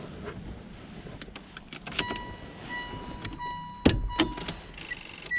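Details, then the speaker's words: Red car that won't start on a snowy morning, battery with slight terminal corrosion: a few sharp uneven clicks on the key turn and no cranking. Weak battery suspected; to be tested, jump-started and charged. "clicking sounds like a battery let's go ahead and test this battery and then I'll jump it off and see if it'll charge and then I'll test it again"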